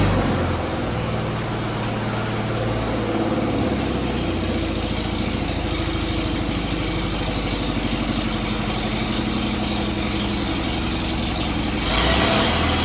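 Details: Engine of a 1956 Air tractor, restarted during a revival after decades of sitting: a steady, even putter at idle with no knocks or stumbles; coolant is circulating, so the water pump is working and it runs fine.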